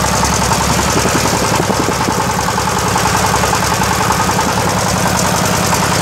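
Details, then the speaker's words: Yamaoke ZS1100 16 hp (16.5 hp max, rated 2200 rpm) direct-injection single-cylinder marine diesel on test: regular thump at a steady, even pace with a clean rhythm; normal running. "Chất lượng lớn, động cơ diesel hàng hải này là 1yhp. Loại zs 1100. đang thử nghiệm"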